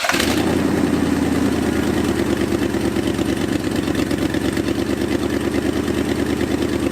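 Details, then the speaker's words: 1978 Jeep J20 360 after 15 years sitting, carburetor needle and seat replaced, bowl filled: engine catches but runs uneven and lumpy, never clean idle; fuel starvation suspected, lines to rear tank later found problematic. "huh that is weird I don't know what is going on"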